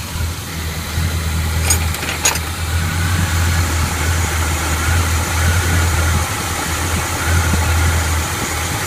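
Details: 1981 Chevy K10 V8 with Quadrajet carburetor, just fitted with a Mr Gasket heat dissipator for fuel boiling out of the bowl and a new throttle cable for binding: steady, even low rumble, no knocks or misses while warming up; normal idle, choke needs adjusting.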